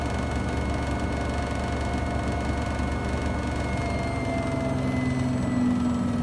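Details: Samsung WW75TA046TE/SP washing machine, replacement unit, 15-minute cycle with clothes after technician leveled legs: loud steady low rumble with humming in the cycle's second half; technician judged it not normal.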